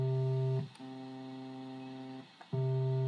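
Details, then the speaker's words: Vox Continental organ, low C tone generator card with bias pot out of adjustment: steady note drops to a much quieter, thinner low C octave, restored to full after bias adjustment. "if you listen you can hear that the low c octave is much lower in volume than the low one it's not working very well"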